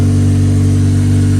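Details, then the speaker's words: K-swapped Porsche, rear-drive, originally 6-speed manual with LSD, spacers and 2-liter throttle body: strong steady low hum at constant speed, clean and even, no ticks, rattles or grinding; sounds good, healthy running. "Sounds good. It's a nice just tone."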